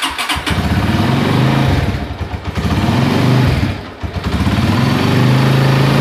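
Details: Honda Tiger, engine recently taken down and rebuilt: harsh, shaky roughness that grows with throttle blips, vibrating at full throttle; mechanic suspects piston or connecting rod, not confirmed.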